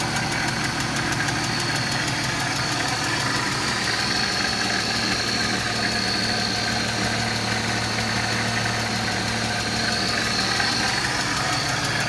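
Steady idle with a fast, light, even tick riding over the engine note, sounding like valvetrain ticking, possibly noisy lifters.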